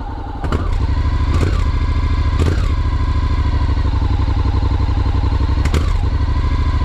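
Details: 2021 Honda NC750X DCT motorcycle, cold start after first 600-mile service: at light, small throttle openings the engine stutters with brief clattering hiccups and may stall; recall blames fuel injection ECU software, fixed by ECU update.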